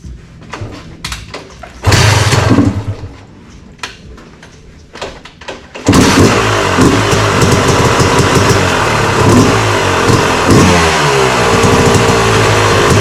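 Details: Yamaha YZ250 two-stroke after fresh top end (new Wiseco part) at 74 hours: a few kicks, catches and revs crisply with sharp even crackle, settling into clean steady running; healthy two-stroke running.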